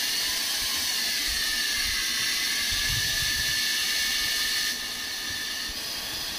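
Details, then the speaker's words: Preethi Zodiac 1000 W mixer grinder after PCB repair (display blinking fault): smooth, steady high-pitched motor whir with no knocks or stalls; motor runs evenly and sounds healthy. "इसकी जो PC board है पूरी तरह से problem solve हो चुका है इसकी जो मोटर है वो रनिंग होना स्टार्ट हो चुका है"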